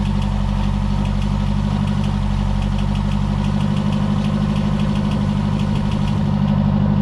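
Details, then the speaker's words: Mark II Ford Fiesta XR2 idling after refitting the professionally rebuilt Weber 28/32 TLDM carburettor and fixing faulty anti-run-on solenoid wiring: steady, even idle, constant low hum, no dips or stumbles or cutting out; still not perfect, carb needs tuning. "don't get me wrong the car doesn't run perfectly but um the carburetor definitely needs to be tuned"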